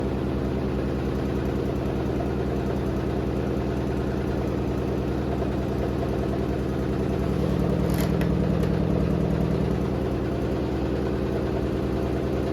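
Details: Hotpoint WD860 washer-dryer on spin with a heavily unbalanced load: steady whirring with a heavy rhythmic thump about 200 a minute.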